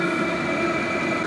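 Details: HCALORY 5-8kW diesel heater at full heat on a Bluetti AC180 power station via a 250 W driver, drawing under 60 W: steady whirring fan, thin constant high tone, soft roar behind; burning evenly at full output.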